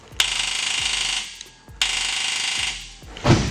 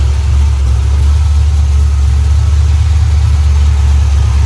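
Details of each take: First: Drift car with LS engine, battery good: two short bursts of high electric whirring with no engine firing, then a sharp metallic clunk; the starter is failing to crank the engine. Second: LS V8 after fouled plugs were found and the tune sorted, with new mufflers fitted: deep, steady rumble with loud exhaust, revs rising and settling evenly, no misfire or knock; running properly.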